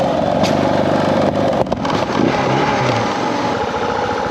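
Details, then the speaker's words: Suzuki DR650 single thumping over road and wind noise with a couple of sharp pops; still backfiring and dying out while riding, owner feels it's not getting enough fuel (possibly lean). "Still backfiring. I feel like it's not getting enough fuel."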